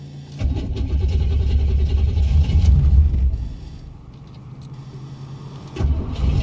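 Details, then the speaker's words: 1985 Chevy Corvette C4 with a cold engine: starter churns at about three and a half beats a second, stops without catching, then cranks again. Hard cold start with extended cranking; it finally fires. "boy she does not like starting when she's cold"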